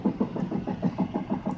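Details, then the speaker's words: 1998 Dodge Stratus while coasting: rapid regular clunking, about six knocks a second, from the driver's front wheel, in step with wheel rotation; less when accelerating and it stops when braking; the cause is undiagnosed and the owner wondered about the brakes. "that's coming from the driver's front wheel there I was thinking it had something to do with the brakes but I'm not sure cuz when I apply the brakes it stops"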